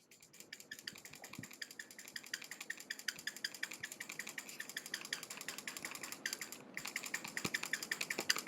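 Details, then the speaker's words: Glorious Model O Wireless mouse, new: quick repeated presses about three a second give a thin squeaky click from the right side of the shell; possible hardware flaw. "so you can see that um this right side has like a really squeaky"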